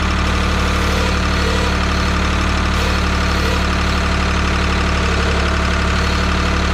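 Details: 1985 Ford 545A backhoe, 3-cylinder Ford diesel, cold start after rebuilt injector pump installed: deep, regular idle about four pulses a second, no stumbles; runs good but hydraulic pump very slow; normal diesel idle.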